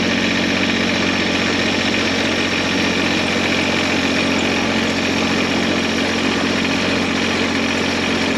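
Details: Cub Cadet 1512 tractor, Kubota D600 diesel, after gear-reduction starter upgrade; steady diesel clatter at even, unchanging speed with no knocks, stumbles or hunting: normal idle.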